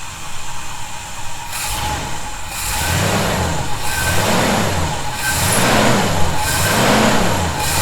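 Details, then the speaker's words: 1971 Chevy C10, after snugging up fasteners suspected of a definite whistling noise: repeated smooth throttle blips up and down, no hiss or whistle; owner doesn't hear it now but will keep monitoring; normal revving. "we'll have to uh keep an eye on that as we do some other things and make sure I don't hear the noise I definitely do not hear it right now"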